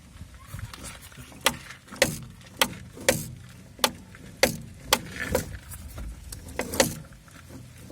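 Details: Renault Scenic 2 suspension: irregular sharp knocks, one or two per second, over bumps, heard from the top of the shock absorber mount on turns. It points to a worn bushing with play; the bushing was later replaced.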